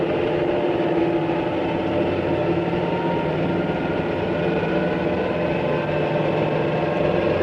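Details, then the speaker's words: Supercavitating propeller designed for very high speed where cavitation is unavoidable, cavities springing from the blade leading edges and enveloping each entire blade; steady, rushing, crackling hiss with no rhythm, holding even throughout. "Here is a propeller designed to perform well at very high speed where cavitation is unavoidable. This type of propeller operates under super cavitating conditions."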